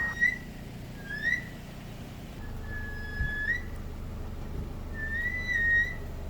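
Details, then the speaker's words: 2012–2018 Toyota RAV4 after rear brake replacement: high-pitched squeaks near 2 kHz in four bursts as the car creeps backward, rear brake squeal present for about a year; fixed with rear brake hardware kit. "I've been dealing with the squeaking problem for about a year now"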